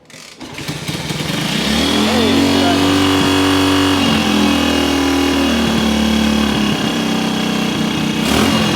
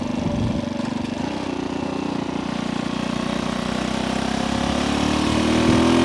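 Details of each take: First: 1974 Kawasaki KS125 after decades sitting, partly clogged pilot jet suspected: idle screw turned way up, engine holds a steady screaming high speed with no drop to a slow tick; idle set far too high. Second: Small vintage motorcycle revived after decades sitting, riding around 40–45 mph in upper gears: crisp, even exhaust beat climbing smoothly with revs, no misfire or rattle; running healthy.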